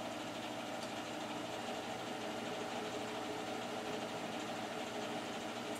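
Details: Newer boiler, only a few years old and vented out the side of the house, on its first start of the heating season in a chilly house: steady even hum with a soft airy rush, no knocks or rattles; very quiet normal running.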